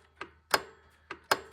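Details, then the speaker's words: 2006 Dodge Durango A/C compressor clutch, activated by jumping the A/C clutch relay pins with a paper clip. Crisp paired clicks as the clutch engages and disengages normally. The clutch tests good, so the relay is to be replaced. "you hear that clicking sound that's our AC clutch over here uh engaging in disengaging you can see it moving right"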